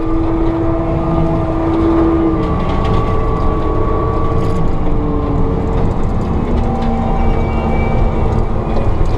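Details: Forestry mulcher working in Cunningham, TN, with the pressure gauge disconnected so the operator judges drum RPM by ear: heavy, loud rumble with a hydraulic pump whine that sags under load and climbs back as the drum recovers speed. It is operating normally.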